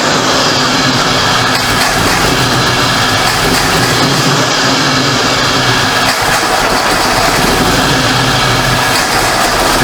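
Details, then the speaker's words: 1973 Ford Mach 1 Mustang V8, back running after months off, nearly out of gas: after the major exhaust leak was fixed, a steady, even idle with no puffing, ticking or popping; the exhaust is quiet, no leak. "sounds good though no more exhaust leak that's one thing I don't know if you guys can hear it but it's exhaust system is quiet before it had a major example"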